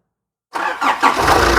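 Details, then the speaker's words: Nissan Urvan E25 ZD30 diesel after top overhaul and idler/timing gear correction, engine warmed up: cranks briefly, catches at once, settles to steady even idle; overheating gone, no leaks; normal start. "Kita dari tadi hidup. Kita rest, jadi sekarang engine pun senyap."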